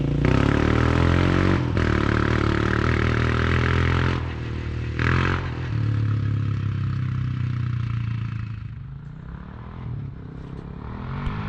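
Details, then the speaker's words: Big Gun exhaust on an ATV, overdue for repacking and recently very loud, now with the silencer core installed after the repack: a few throttle blips, then an even, steady single-cylinder idle, a lot quieter, loud but healthy exhaust note. "all right y'all so i just got the silencer core installed right there and we'll see how much difference it makes definitely a lot quieter at idle sounds all right i guess loud exhaust but um"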